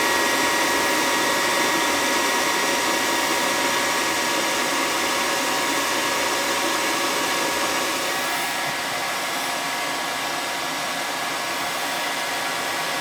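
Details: Attic gas furnace that would not run, fired up by jumping the red and white thermostat wires: steady, loud, even burner and blower rush with no surging; furnace runs normally and the thermostat is suspected bad.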